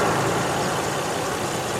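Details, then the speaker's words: Car nearly at operating temperature after restart following 11 days sitting and odd cranking: even, steady idle hum, no knocks, misses or hunting; normal idle. "Really, really weird. But everything is running just fine."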